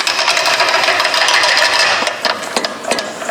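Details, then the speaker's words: 1994 Jeep Grand Cherokee: quick uneven clatter about three a second, then separate sharp clicks from both worn front CV axles, which need replacing. "Which both of the front CV axles on this are going."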